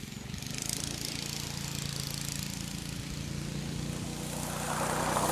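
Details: Go-kart small single-cylinder engine after a stuck centrifugal clutch was lubricated, the clutch faces degreased and the drum sanded and deglazed: steady, even speed with a light buzz, no slipping or chatter; normal running after the fix.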